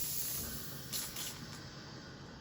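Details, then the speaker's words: Breville Barista Express BES870, new never-used returned unit, steam wand about 20 seconds in at near full pressure, steaming cold full cream milk; steady even hiss with no sputter or gurgle; normal steam wand operation. "that's about full pressure it'll get stronger over time but 20 seconds in that's about full pressure"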